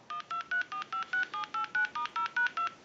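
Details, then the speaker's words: Bell South clear Lucite Trimline telephone after repair: flash button pressed to reseize the line analyzer for dial tone, then redial sends thirteen crisp, even DTMF beeps. The dialing fault is fixed; normal tone dialing. "analyzer will end in a two so we are ok now with the dialing issue that's not a factor any longer"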